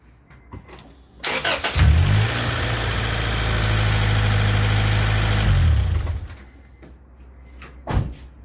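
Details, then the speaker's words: Integra a day after head gasket repair, about 20 miles driven, before a compression test: short crank, quick catch, smooth even idle; starts well, normal cold start. "so it starts up good runs good it has excellent power on the highway"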